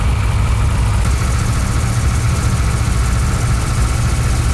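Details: NASCAR-powered '55 Chevy V8 freshly fired up, held at about 1200 rpm fast idle while oil pressure is watched: deep, smooth rumble with no misses, knocks or ticks, running well.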